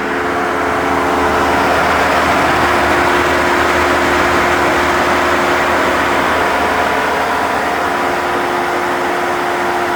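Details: Jeep Wrangler 4xe plug-in hybrid charging at 120V (13 hours 0% to full), 30°C/86°F outside: loud steady whirring hum with fixed tones around 300–400 Hz, continuing until charge ends; normal battery cooling fan and compressor noise.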